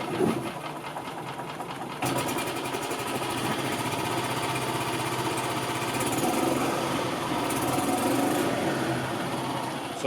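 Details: 2000 Yamaha G16 gas golf cart, cold start the next day after sitting since 2013, with no air pre-filter installed: short crank, then catches within a couple of seconds and settles to an even, buzzy idle; normal cold start.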